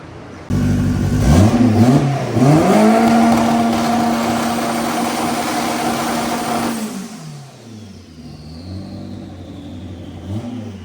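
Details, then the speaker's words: Honda Civic with B18 engine and HPT 64/70 turbo, full-throttle dyno pull: revs climb smoothly for about six seconds under load and back off cleanly, a strong even turbo pull with no misfire or knock. "That sounded nice. 17. That was perfect. Beautiful. Great place to start."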